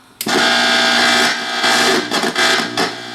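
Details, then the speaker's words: Vintage jukebox-style AM/FM radio-cassette, first power-on before repair; loud hissing static over a steady low hum with brief dropouts; dirty volume control suspected. "Well, that's noisy right there. And it even lights up here. What happens when I turn? Tell us. It's making quite a noise. Quite a lot of hum."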